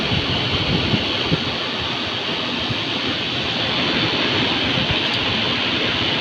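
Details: Heater blower motor (Volvo ventilation) fed from the fuse panel. Steady rushing roar with a rough, gritty edge and no clear beat. Blower motor noise.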